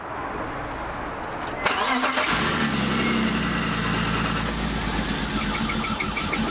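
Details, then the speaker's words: BMW E46 engine with cylinder 3 compression about 120 PSI versus a 142 PSI minimum: cranks, catches and idles lumpy with a repeating stumble; cylinder 3 is dead and misfiring, engine must come out. "probably down a cylinder. Yeah, a compression test should show a minimum of 10 to 11 bar, 142 to 156 PSI. Max difference between cylinders is 0.5 bar or 7 PSI. So cylinder 3 seems to be dead."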